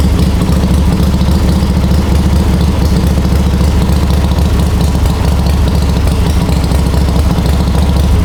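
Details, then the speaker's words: Warm, ridden 1939 Harley-Davidson EL Knucklehead V-twin, about 12–14,000 miles since restoration, spark retarded, idle lowered, pipes covered: deep steady even low thump, no gear or pushrod noise; healthy idle. "you can hear the motor no gear noise no push rod noise you can hardly even hear it going round and round and up and down guys i think runs excellent mechanical perfection"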